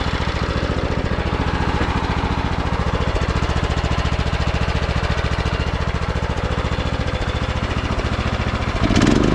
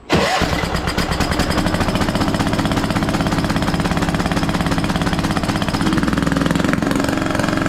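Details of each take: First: Craftsman T1200 riding mower rescued from scrap, oil topped off: steady, even single-cylinder beat at constant speed, no misses, knocks or rattles; runs smoothly. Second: Scrapyard Craftsman T1200 riding mower, first start on old gas with a substitute spark plug: small engine settles into uneven gurgling, choppy idle, compression seeming very high; owner may check valves.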